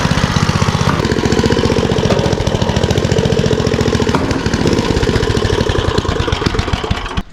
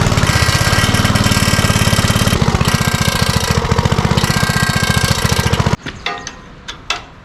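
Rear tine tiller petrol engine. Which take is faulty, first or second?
second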